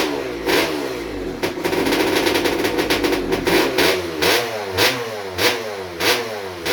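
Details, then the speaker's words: Rebuilt 1996 KX250 two-stroke with ported TM Racing 250 cylinder, rotary disc intake, Maico 490 rod and Tecate balance shaft: sharp crackling bark climbs and falls cleanly per blip with no misfire; healthy, though the fuel hose rubbed the belt. "I need to kill it the fuel hor was rubbing against the belt I need to tighten that up with some sounds good though I'm impressed I'm really impressed"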